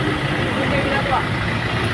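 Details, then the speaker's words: Kia Soul after replacing the noisy, worn drive belt: steady smooth idle with no belt squeal or chirp; noise gone. "So ayan, bandar na yung ating Kia Soul. Grabe na mga boss. Wala na. Wala nang ingay."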